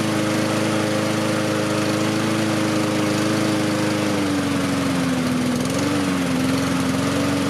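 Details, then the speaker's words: Husqvarna push mower with Honda engine, throttle raised to slightly higher rpm for better running and cooling air over fins: steady even drone with slight pitch dip; running smoothly. "i'm going to bring it up on this to make it run better um prolong the life uh the higher the slightly higher rpm2 will blow more air across the the fins cooling the engine down a little bit better too"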